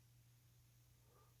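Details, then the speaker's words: Thorens TD165 turntable motor, previously knocking, with the platter on after a thrust bearing install and hex screw adjustment: very quiet, even run with a faint low hum. The knock returns if the screw is misadjusted. "You can actually see how quiet it is. See how quiet it is? Beautiful."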